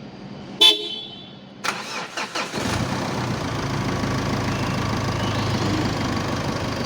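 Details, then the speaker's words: Mitsubishi Pajero Sport diesel after fuel-leak repair, injectors rebuilt with new nozzles and ball pins, EGR blocked off: horn toot, short cranking, then catches and settles into even, steadier, smoother idle with no stumble; normal idle. "Kalau dilihat ya, kalau didengarkan juga ini terasa stasionernya lebih stabil, kemudian suaranya juga lebih enak karena injektornya sudah diperbaiki, sudah diganti noselnya juga bol painnya."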